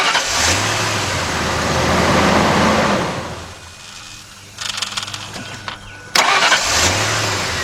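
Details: 1998 Ford F-150, 4.6 Triton V8, brought in for no-crank, no-start despite a new battery; corroded terminals were found. Brisk starter whir catches quickly into a smooth, even idle, twice in a row. Cranking and starting are normal.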